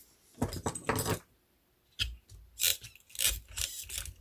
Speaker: hear that? That means that's not cleared enough. So let's clear that up.